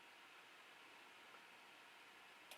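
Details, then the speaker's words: 3D printer auto power-down relay, end-of-print G-code test after cooldown: soft fan hiss, then one sharp click as the relay drops out and cuts power, a normal shutdown. "hear the relay click the printer power's off now"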